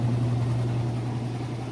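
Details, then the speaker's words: Whirlpool top-load washer on its final spin with a heavy load of jeans: a steady, low, smooth hum from the drum with no thumping or grinding. It is a normal, healthy spin cycle. "you can see it's nice and smooth it sounds great"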